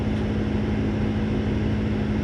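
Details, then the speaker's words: 2001 Ford F-150 with no-heat complaint, heater fan running: steady droning hum with one constant low tone, then cuts off; blower motor sounds rough, cause unknown. "And that blower motor sounds nasty too."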